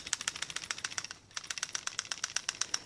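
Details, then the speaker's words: Mitsubishi Diamante at 230K miles, replacement PCV valve shaken by hand during its first tune-up: crisp light clicks about four times a second, rattling freely as a clear valve should, in contrast to the clogged old one that stays silent. "that's what it should sound like this one is nice and free this one is clogged up"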